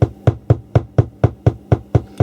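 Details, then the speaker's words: 1980s Marantz PM-45 amplifier, phono stage on the right channel only: slow, regular low thumps about four a second (motorboating) that slow when the board is touched; the instability is suspected to come from conductive glue deposits contaminating the board. "a low frequency instability and it's only on the right hand channel"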